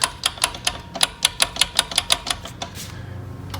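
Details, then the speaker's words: Power wheelchair (Quantum 4Front) suspension: sharp hard clacks about four a second as the chair rocks, from loose, stripped suspension bolts; the other side has only slight normal slop, while this side is slop plus everything loose. "we're getting a little bit but that's just a little bit of slop that's in that system as opposed to this where it's slop plus everything loose"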